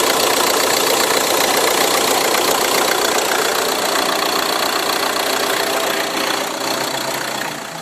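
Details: Ford Tourneo Custom diesel engine noise: loud steady clatter with a fast even ticking layered on top, no clear squeal; drive belt noise suspected.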